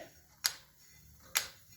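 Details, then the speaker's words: Kawasaki KLR 650 after Trail Tech Vapor install, wheel turned slowly by hand: crisp single clicks about once a second; speed sensor magnet on the brake rotor pulls the brake pad, not the bolt hitting. "Yeah, it's just the brake pad clicking. I thought the bolt was still hitting, but no, it's just clicking the brake pad."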